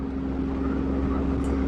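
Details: 2014 Hyundai Eon after repair of all-cylinder misfire (P0301–P0303, spark plugs changed), cruising in fourth gear approaching 80 km/h, previously stuck at 40–60: steady, even engine drone, no stumbling or misfire, no check light.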